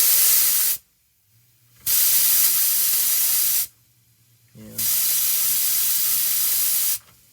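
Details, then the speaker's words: 1971 MCI MC7 bus, Detroit Diesel 8V71, during maintenance: air tank drain pull chain pulled several times, three sharp hissing blasts that blow out oily goo; oily discharge, cause not confirmed. "so having Kelly pull that pull chain it blasted out some oily goo go and pull it Kel keep pulling it a few times"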